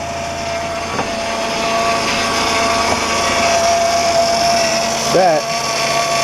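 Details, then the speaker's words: 2008 Honda Odyssey Touring, about 150,000 miles, at cold idle: a steady high whine that wavers slightly in pitch, from a bad power steering pump noisy when cold, later replaced with a rebuilt pump. "I'll hold on as I was saying that's the power steering pump that's gone bad and I've got a replacement"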